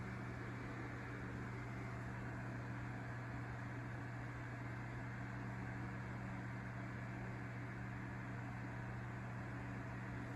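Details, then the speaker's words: Edison Deluxe 9-inch oscillating fan 094002 on low speed after cleaning and oiling its dry bearings: a steady low motor hum with an even air rush and no rattle or squeal, a healthy fan. "these are really high quality and good running fans generally speaking they move a decent amount of air"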